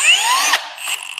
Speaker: can just hear it sort of clicking, and that's how it knows not to keep drilling deeper into the wood or screwing deeper into the wood.